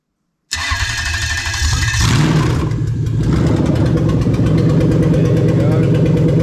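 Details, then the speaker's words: Engine with Link G4X Xtreme ECU controlling the starter motor, cutting cranking above 600 rpm: brief cranking, then the engine catches and settles into an even idle, starter dropping out with no grinding; normal start. "here so you can see we're not getting any sort of starter motor grinding or anything like that clearly because obviously the ecu is seeing 600 rpm and it's actually cutting it off"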